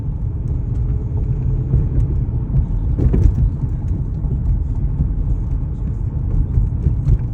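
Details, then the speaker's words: 2004 Toyota Corolla pulling away from a stoplight; it shakes with low, uneven knocking under a rough, labouring note that sags as if about to die, check engine light blinking; cause unknown. "And you can hear it start to knock. It's got a knocking D sound to it."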